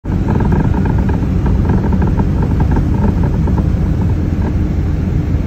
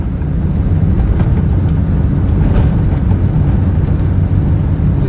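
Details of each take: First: Geo Metro driving over small bumps: loose knocks and rattles from badly worn lower ball joint; new CV axles already fixed clicking when turning. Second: Geo Metro cabin on a very bumpy road after replacing sway bar bushings and inner and outer tie rods (new CV axles earlier): steady low road rumble, front suspension clunks over bumps largely gone, only occasional slight noise.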